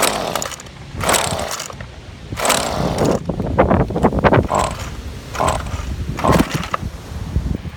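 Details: Husqvarna 125L trimmer after replacing the cracked fuel line grommet and line, started choked. Several short bursts of two-stroke firing each die within about a second; it starts then stalls. Carburettor possibly also at fault, unconfirmed.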